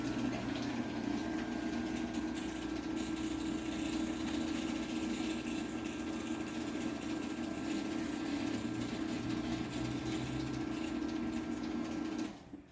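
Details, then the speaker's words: LiftMaster 8587W garage door opener (March 2016) running on the rail, tested for force-trip problem: even, quiet motor hum with steady drive tone, no knocks or straining, very quiet on the way up; normal run. "in here it is actually very quiet"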